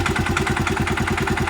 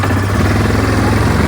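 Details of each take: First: 2017 Suzuki King Quad ATV under 1,000 miles, idling: rapid, even knocking pulses over the idle thump; owner unsure whether it is a bad engine knock or bad clutches. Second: 2024 Yamaha Grizzly 700 SE ATV at startup: steady even low idle thrum with no knocks or misses, settling smoothly; engine runs really nice.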